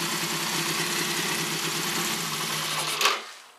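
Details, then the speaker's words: 1965-68 Honda CA77 twin, before restoration, started on a jumper cable as an improvised ground: it started first try and runs with quick, even, buzzy firing and no knocks or misses, then shuts off cleanly. "it does run got my improvised ground here didn't have the ground straps I just would jumper cable on there and stuff and but yeah it starts and absolutely amazing these they actually started the first first time I jumped it instantly started"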